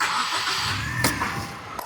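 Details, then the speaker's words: Petrol engine with a flashing check-engine light and misfire, after replacing the faulty ignition coil: it catches and settles into an even, steady idle with no shaking. "طبعاً زي ما أنتم شايفين الحمد لله الرجة راحت لما نبدأ نرفع دوت دلوقتي شغال الرجة زي ديت شغال مظبوط المكينة شغالة صافية"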